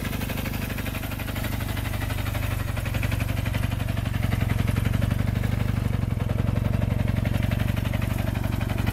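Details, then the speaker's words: 1974 Kawasaki KZ400D1 twin, recently serviced: new battery, rebuilt carburetors and fuel hoses, new points and condenser, valves adjusted; no smoke or leaks: crisp, evenly spaced exhaust pulses at steady idle, no misses or knocks; healthy normal idle. "it runs rides and shifts very smoothly through all of the gears just check out this piece of History it's lovely let's go ahead and fire it up and see how it sounds"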